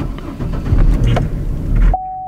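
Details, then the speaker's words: Petrol car bought as a non-starter, after a new fuel pump, fuel tank and fresh fuel, primed then started: catches right up, previous misfire gone, buttery smooth steady idle, good oil pressure, alternator charging, no check engine lights. "Man she started right up that misfire is completely gone. This engine feels buttery smooth. That idles good"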